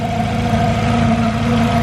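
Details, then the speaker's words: Turbocharged Honda CR-V at idle, with no blow-by smoke. Steady idle carries a low constant hum; the owner suspects the timing belt, which looks a little tight, but the cause is not confirmed. "I'm sure some I don't know if you guys can hear that humming. I don't know if that's just the timing belt. It does look a little tight."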